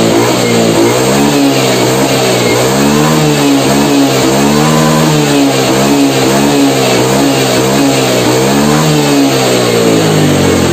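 Engine revs up and down cleanly several times, pitch climbing smoothly without stumbling or flat spots; top end pulls strong and sounds healthy.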